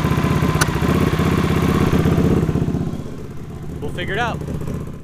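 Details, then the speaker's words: Honda CX500 scrambler V-twin idle, warm, before repair: uneven lope with recurring cough on the right cylinder; misfire suspected from unsynchronized carbs and valve clearances likely out of spec, to be checked cold and adjusted. "Now the cough is definitely on the right cylinder. You can actually watch it move a little bit right here."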